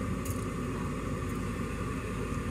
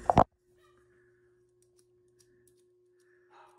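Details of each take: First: Furnace draft inducer motor running evenly with a steady low rumble, no knocking or scraping, after being spun free by hand; it had been humming but not turning, owner suspects debris or a moth blew into it. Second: Gas furnace inducer draft motor clicks on, then only a faint steady electrical hum: motor stalled, not turning; debris (possibly a bug or moth) jammed it, freed by spinning the shaft by hand.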